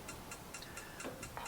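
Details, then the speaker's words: Charisma 570 caravan gas fire, automatic ignition, control knob turned to about five and pressed: quick even clicks about four a second; igniter sparking normally until the pilot lights. "press that down until the clicking stops when the clicking stops the fire is lit it only lights a pilot until you release that knob and then it will fire up"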